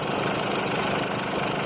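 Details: 2011 Mercedes Sprinter 313 diesel idle with a rough buzzing vibration and faint belt chatter: seized alternator overrunning pulley causes belt slip and engine vibration and could lead to belt breakage; the pulley should be replaced, not reconditioned.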